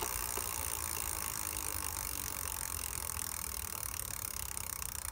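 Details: Rad Power RadRunner 1 e-bike with Bafang hub motor, started rattling while commuting, no external damage seen: under throttle a faint, steady gritty rattle over a light whir; motor rattle or gear grinding suspected.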